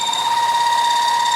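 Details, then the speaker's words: Milling a billet for rounding dies, end mill taking thousandth-deep cuts with a little oil, throwing chips: steady bright high tone with even texture; normal light milling cut. "You can see it, when it starts to cut, it'll start throwing flags."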